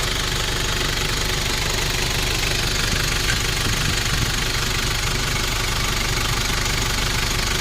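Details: 1994 Nissan Big M pickup, BD25 2.5 L four-cylinder direct-injection diesel, after a test drive: typical direct-injection clatter ticking evenly at idle, no misses, knocks or roughness; healthy diesel.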